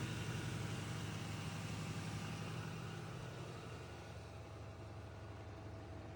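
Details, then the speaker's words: GE Hydrowave washer after washer motor replacement (not-spinning fault): quick drain and spin gives steady low even thrum easing slightly, no grinding, scraping or knocking; normal spin. "Now I'm going to put it in for a quick drain and spin so you can see the machine is working beautifully."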